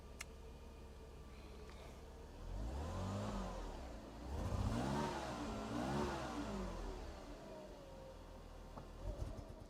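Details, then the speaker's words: Mercedes W124 300CE started up: smooth on slow revving, but under more throttle it misfires with ragged, stumbling revs, worse as it gets hotter; it conks out when driven. Owner suspects fuel or air-fuel mixture, possibly the coil. "if I try and put more throttle in yeah Mass fires and goes up and I think as the car gets hotter that that gets worse where you can hear it misfiring as it goes up I'm pretty sure it's a fuel issue it sounds like it although I suppose it could just be maybe the the coil I don't know"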